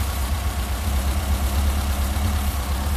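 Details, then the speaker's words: Ford SOHC 2.0 Pinto four-cylinder in a Sierra-based kit car with twin Weber 40 DCOE 151 carburettors, balanced with an airflow meter to about 5: steady, even low idle rumble, revs picking up quicker after balancing. "sounds better that s picking up a lot quicker yeah put that back in there near enough dead on 5 slightly over on that one"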